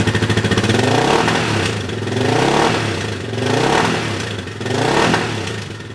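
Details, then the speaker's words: Yamaha 660 single-cylinder with new carb re-jetted to correct a lean condition, revving in neutral with fuel tank not connected; slight popping and uneven firing on throttle, little black smoke expected, still running a bit lean. "So we're still going to experience probably a little bit of popping, maybe a little bit of black smoke, but there shouldn't be a lot."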